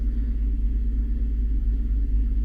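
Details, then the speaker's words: Infiniti FX37 (QX70) V6 before valve adjustment, one cylinder head found with tight clearances: deep idle rumble that pulses and dips unevenly; misfire on bank 1, a tight or burnt valve suspected. "Запустив я двигун і машина впевнено троїт. дуже запущений випадок на грані того, що може й не допомогти регулювання."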